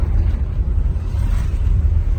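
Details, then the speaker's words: Mitsubishi L200 pickup on cobblestones with rear window lowered, after fixing the suspension noise at two shock absorber bushings (14 mm wrench): only steady low road rumble, no metallic clunks; suspension tight and quiet. "tô pegando aqui o calçamento novamente para vocês ouvirem como o barulho ele sumiu ó vou baixar os vídeos traseiro para vocês ouvir Melhor não tem mais barulho"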